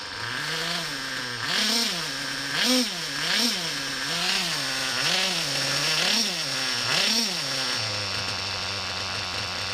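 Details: Reds R5 small nitro engine, run indoors with a 3/8 fuel injection line hose on the pipe fed out a window, screams up and back down about once a second with each throttle blip, clean and crisp; owner wonders if hose restricts breathing; healthy normal running.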